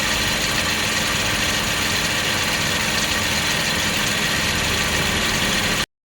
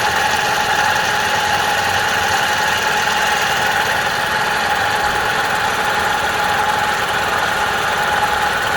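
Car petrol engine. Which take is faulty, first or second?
second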